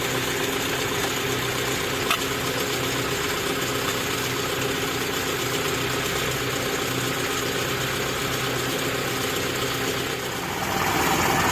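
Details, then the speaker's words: Daihatsu Zebra/Espass idling evenly and steadily, with a faint light pulse and no misfire or knock, right after starting without the fuel pump (rotak) relay fitted; engine and fuel pump still run properly. Normal idle. "Bismillahirrahmanirrahim kita coba Nyalakan nah ini sudah nyala teman-teman tanpa menggunakan relay mobil saya tidak menggunakan relay ini ya relaynya belum saya pasang"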